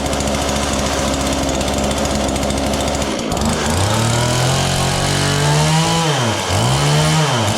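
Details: John Deere CS40 chainsaw just after installing a replacement chain oiler, hard starting, maybe not fully warm. A steady high buzz sags and climbs back in repeated dips as the throttle opens. It idles fine but bogs on throttle. Owner suspects the carburetor; the fix attempt failed.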